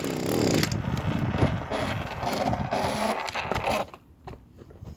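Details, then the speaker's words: Small two-stroke lawn care engine during a yearly tune-up: catches and buzzes unevenly for a few seconds, then sputters and dies; owner suspects a bad carburetor. "see it runs it spins but then it dies which is a problem so my question is what do i do"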